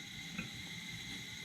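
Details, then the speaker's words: 1947 nickel Coleman 500 series stove, after warm-up spitting of liquid fuel stopped, valve full open then back a quarter: steady even hissing roar, no sputter or surging, stable flame; normal burner roar. "Now we've got a nice burn. The stove actually runs really well."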